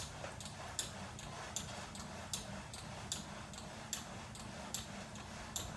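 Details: VersaClimber replacement unit, new: sharp squeak with each stroke about every three-quarters second, same as first unit; source unknown.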